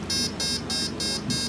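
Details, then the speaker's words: Turnigy AE-30A brushless ESC being programmed: five short, evenly spaced high beeps confirming the throttle response set to high for flight controller use. "so to push the third button which is emulating the most full power and you'll hear it do it"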